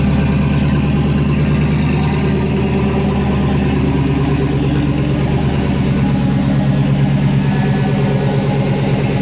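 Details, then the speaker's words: 2007 GMC Sierra Classic with freshly swapped LS V8, first start with codes present: engine holds about 2,000 rpm and never drops to idle until codes cleared. "when I'd crank it, it'd go to about 2,000 RPM, kind of sit there and uh would never come down."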